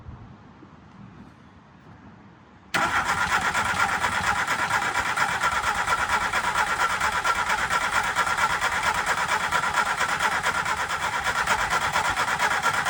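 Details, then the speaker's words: VW MK2 Golf 1.6 Driver project, first start attempt with new battery and newly fitted coil that reads okay on a multimeter: starter churns at an even, steady beat but it never catches. No spark. "We fitted the coil, no brum brum spark as you'd probably seen."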